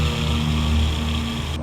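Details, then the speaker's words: Toyota Alphard with the engine running: sharp, steady high-pitched whine over the engine hum. Owner complained of the noise; traced to the alternator, whose bearing was to be replaced but was found burnt inside, so the alternator was replaced. "Okey, bunyi dia nyaring. Bila kita hidup enjin, dia bunyi bunyi nyaring lah. Lepas tu kita cek. Rupanya bunyi tu dekat alternator."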